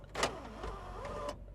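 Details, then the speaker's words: Rebuilt Honda Prelude sunroof motor: a smooth electric whine rising and settling for about a second, with no grinding or clicking; the sunroof works normally. "and sunroof Works did I mention did I mention"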